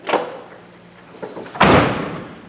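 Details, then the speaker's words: C3 Corvette door shutting after T-top weatherstripping and A- and B-pillar sealing: a light first contact, then one solid deep thud that dies away cleanly without rattle. The door now shuts and seals properly, far better than before. "If you'd seen my first video, I bought a Corvette and it's bad. That's a lot different than the first time I shut this door on camera."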